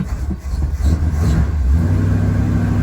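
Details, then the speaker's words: 440 big-block 1977/78 Dodge D200 crew cab on gas poured down the carb and an electric pump: deep V8 rumble wavering and stumbling as throttle opens; accelerator pump seems not to work at all. "yeah there's just absolutely no accelerator pump for some reason oh maybe if you pump it 30 times it does"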